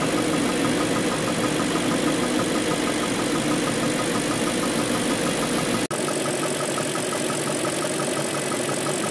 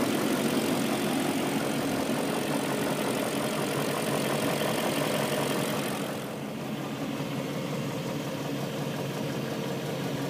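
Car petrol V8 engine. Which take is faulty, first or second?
first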